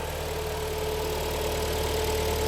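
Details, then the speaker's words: Kia Sportage 3, automatic, all-wheel drive, about 180k mileage, just started cold after engine work: faint steady hum from the gearbox; mechanic suspects low oil, and the hum can disappear when Drive is selected; suspected cold gearbox hum. "вот коробочка урчит холодная может быть масло Маловато там"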